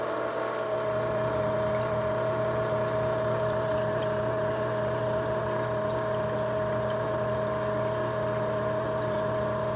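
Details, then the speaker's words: Marineland Penguin 200 power filter after months of use: loud, constant high-pitched drone with rough uneven buzz, sounding like the impeller grinding on something; greasing with petroleum jelly and cleaning did not help. "it was very loud and it's almost like it sounds like this is grinding on something"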